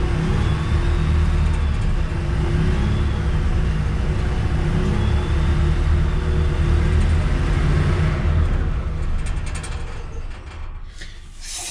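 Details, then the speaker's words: EZ GO GTI 875 golf cart engine after new fuel pump, new fuel lines and new carburetor: steady low thrum about four beats a second, no misses or knocks; runs cleanly, good oil pressure, no smoke. "nice I got to eat everything button back up but it does run looks to be a good oil pressure doesn't smoke at all does stink"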